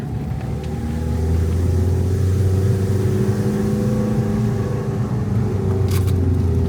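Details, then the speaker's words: Renault camper van, diesel, manual clutch, climbing a hill in low gear on a long road trip; deep steady drone at constant pitch as the underpowered engine labours under heavy load, cause not confirmed. "Oh, this car is really groaning inside. Yeah, everyone in their new automatic cars just cruises up the hills. They don't think about us poor, underpowered idiots."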